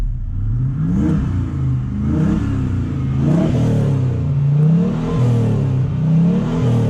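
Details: 2009 Toyota Hilux with LS1 Chevy V8 swap, Link Thunder ECU, stainless center-drop headers: deep smooth V8 burble rising and falling with repeated even throttle blips, no knocks or misses; normal V8 revving.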